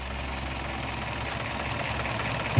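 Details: Mitsubishi Pajero engine at rough, uneven idle with a lumpy low beat and occasional stumble; misfire (missing) at idle.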